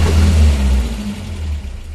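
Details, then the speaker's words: 1985 Toyota pickup mini truck: deep, uneven rev that swells then sags back unsteadily, sounding awful; rough running, possibly running rich, cause unconfirmed. "but man this is vintage early 90s mini trucking right here sounds awful make it stop"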